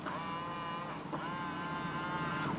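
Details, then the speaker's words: 2001 Ford Focus SE with 168,500 miles, power mirror motors being tested; a thin electric whine in short smooth bursts, pausing as the direction changes. Both mirrors work normally. "works exactly as it should and the right mirror most importantly that works as it should"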